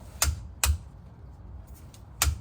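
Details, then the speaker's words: 2017 Acura MDX rear differential fluid change, torquing the fill bolt after refilling: four sharp, crisp clicks over a quiet low hum as the torque wrench breaks over at set torque. "so you you're going to need at least 6 in to reach through to the other the bolt there we go and torque it until you hear a"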